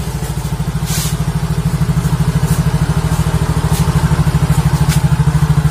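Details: Yamaha Mio Soul GT YMZ FI after repairing rat-chewed fuel pump wire (and charging weak battery): steady even low putter, about three beats a second, no stumbles; idling cleanly.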